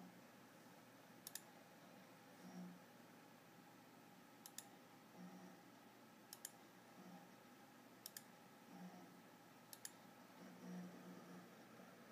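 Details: Desktop hard drive in a computer built January 2013 with recent BSOD errors: sharp clicks every 1.5–2 seconds over quiet hum; owner suspects a failing grinding/clicking hard drive.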